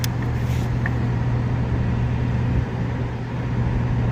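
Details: Heating system after burnt wiring was repaired and a new contactor fitted, started in heat mode with heat strips on. Faint click at start-up, then the blower settles into an even, smooth hum with no rattle; normal blower operation.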